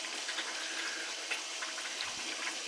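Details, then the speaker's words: Utica oil-fired boiler that was leaking water from its relief valve: steady hiss and gurgling rush of water with spurts of air and no motor tone, as air is purged from the heating system during service. "Definitely air coming out. You can hear it."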